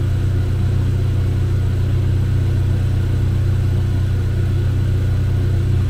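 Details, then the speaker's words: Chevrolet Cobalt SS with supercharged LSJ engine, supercharger refitted on its old gasket pending a rebuild, first run after reassembly: steady, deep, even drone with no knocks or misses; running well, though hard starting persists and a fuel pump problem is suspected. "sounds like she's running good"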